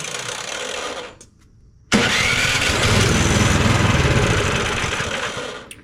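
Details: Cub Cadet 2X 24 IP snowblower, MTD Powermore 243cc IntelliPower engine, that starts then dies: on choke, primed, brief pull, pause, then fires and runs roughly about four seconds before dying; fuel starvation from a dirty carburetor.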